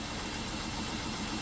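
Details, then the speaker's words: 2007 Jeep Wrangler started after replacing the bad oil pressure switch, air box off: steady, even idle hum with no knocks, ticks or misses, oil pressure light goes out; normal idle. "Alright, I'm going to start it up, make sure the light goes out."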